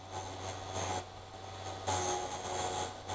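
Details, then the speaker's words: Vevor drill bit sharpener, bit pushed in with chuck flats lined up: quiet motor hum with short hissy grinding bursts as the tip touches the stone, easing off between light back-and-forth passes; normal sharpening. "You turn the machine on. Now, just going to push it in. You can hear it start grinding."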